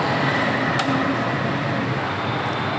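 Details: Motorcycle engine running normally with a smooth, even, unbroken note and no knocks or misses.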